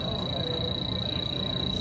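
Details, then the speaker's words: A high, rapid, steady chirping alarm from an H10 electronic leak detector sensing refrigerant inside the coil case, found by checking the discharge air underneath; a Stratus detector did not pick it up. "Uh-oh, there's a leak. It's inside that case somewhere."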